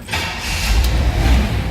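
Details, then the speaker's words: 1963 Chevrolet Impala SS convertible, automatic: quick catch into an even, steady low rumble with no stumble or misfire, no loud exhaust; healthy cold start. "Here the engine, like I said, runs smoothly. No crazy exhaust or anything like that to it."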